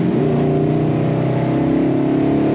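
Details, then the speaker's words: 1970 Dodge Super Bee, original 440 Six Pack big-block V8, throttle blip: deep, even roar swells cleanly and settles back smoothly, no misses or rattles; healthy rev. "There it is. You didn't get to hear that before. Sweet sound."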